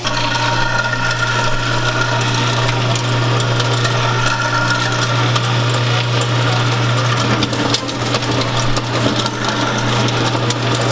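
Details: New InSinkErator Evolution Select Plus garbage disposal, replacing a cracked, leaking old unit, running with water: steady low hum with even whir, no rattles or grinding, a bit quieter than the old one; normal running.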